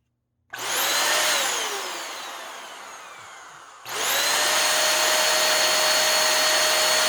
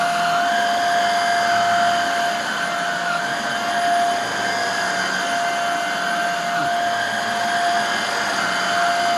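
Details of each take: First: Hoover Air Steerable vacuum motor, cleaned and run on its own out of the machine, before any commutator polish: high-pitched whine spins down, then restarts and holds steady; owner suspects commutator or bearings. Rough-running motor. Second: Hoover Air Steerable vacuum motor after refurbishment with a commutator polish and newer lower hose: steady, even high-pitched whine with constant tone and no rattles or surging; running smooth and healthy, back to nearly new condition.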